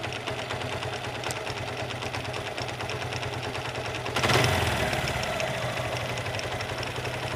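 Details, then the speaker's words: Suzuki Gixxer motorcycle idling with a rapid metallic clatter, as if parts are touching; owner suspects a broken bearing or another internal part, to be checked by opening the engine. "মানে বিষয়টা এমন দাঁড়ায়, হয়তো কোনো bearing বা কোনো কিছু ভেঙে গেছে, ক্যাটক্যাট ক্যাটক্যাট একটা সাউন্ড করতেছে, মানে কারোর সঙ্গে কারো টাচ হচ্ছে এরকম সাউন্ড।"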